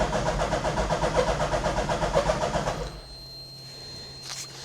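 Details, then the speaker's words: Hayabusa-engined Nissan Micra, first start via hot-wired switch: starter turns slowly about four even beats a second, then dies without catching; battery dead, charging not yet verified. "Maybe some choke. That battery is dying and all in it. Yep. battery is dead."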